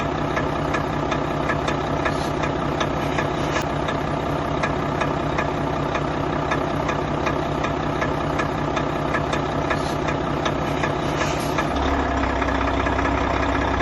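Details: Volvo FH4 diesel truck at about 100,000 mileage: steady idle with a regular light knock, roughly two or three per second; no diagnostic errors, all tests passed; traced to a faulty camshaft.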